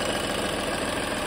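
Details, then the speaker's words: VW Polo diesel left idling after a service with new oil filter, air filter and 5W-30 oil: steady diesel clatter with an even rhythm and no odd knocks. Sound judged fine. "आवाज तो ठीक है गाड़ी का कोई sound नहीं है"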